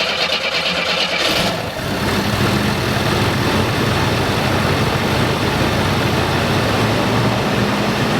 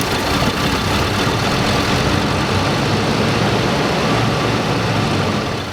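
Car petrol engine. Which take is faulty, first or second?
second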